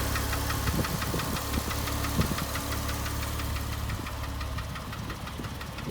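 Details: 2005 Porsche 997 S with Tiptronic, 82,000 km: sharp, irregular ticks and knocks roughly three a second over a quiet idling engine; engine knocking, cause not yet pinned down.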